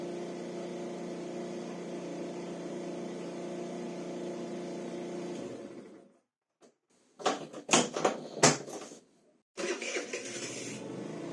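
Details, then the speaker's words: SYM 4T 50cc scooter, warmed up, idle adjusted after carburetor cleaning, valve adjustment and timing cover refit. Smooth, even idle, then a few quick throttle blips, revving freely. Starts well when warm; normal idle. "Am lăsat trotineta să se încălzească și am mai reglat puțin ralantiul. Se pare că pornește destul de bine și când este cald."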